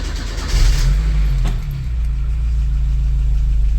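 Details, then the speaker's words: Porsche 924 Turbo cold start after a day sitting: engine catches, revs flare briefly then settle into steady low idle without stalling; owner says it sometimes dies and suspects fuel priming needing computer adjustment; idles ~1000 rpm warm. "After like a day of not starting, usually it'll turn on. The revs climb a little, and then sometimes it dies."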